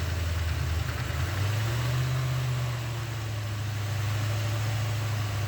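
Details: 1988 Corvette (owner unsure, maybe 1989), bought cheap and sat over winter, first start after hotwiring a rewired connector: low, lumpy, stumbling idle with misfire; ignition timing not yet set.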